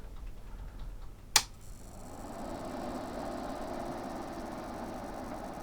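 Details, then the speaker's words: Behringer Europower PMX1000 mixer, powered on after replacing a shorted diode and blown resistor: sharp switch click, then a soft, even fan whoosh holding steady without rubbing; fan runs normally, with a slight buzz possibly from loose coils. "is still spinning it seems to be burning out yet fan is still spinning little buzz or something coming from there but it could be something to do with the coils or something it's not quite tied down properly"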